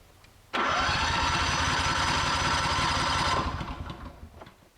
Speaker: give it some choke all right and there we have a running generator